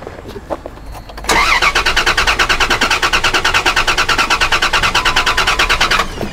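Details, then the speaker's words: Dodge Dakota no-start with fuel pressure gauge connected: starter cranks steadily about three beats a second for five seconds and never catches; gauge shows no pressure (about 30–50 PSI expected), so a fuel pump problem; spark and injector pulse checked, stored cam sensor code unrelated. "Nothing. All right, so we have a pump issue."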